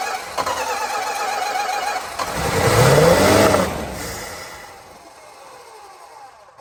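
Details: 1965 Plymouth Barracuda, original 273 V8, 138k miles, 4-speed, off road since mid-90s, used fuel pump fitted, fuel poured in carb: cranks evenly with modest compression, catches, revs, then lumpy idle with missing beat; down a cylinder, smoking, needs tune-up.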